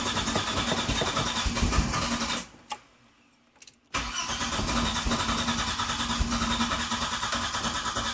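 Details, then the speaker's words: Classic car just fitted with the correct ignition coil replacing a wrong one: runs unevenly, cuts out, cranks and catches again into slightly lumpy idle; still doesn't like starting, could be several things, timing unverified; hard starting and rough running. "Doesn't like starting, though. Still doesn't like starting, but that could be a number of things."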